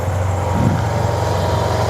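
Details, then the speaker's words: 2009 Yamaha T-Max scooter, a non-running project now brought back to life: low, even idle burble at steady pitch with no knocks or misses; the engine idles normally. "yeah so that's it guys the bike is nice and Alive you know this bike is going to make a great Uber Eats delivery uh scooter so I'm very happy that I found it"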